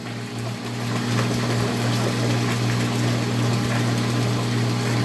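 Steady low hum with a constant motor tone building smoothly after switch-on, no surging or rattling; the pump is running properly.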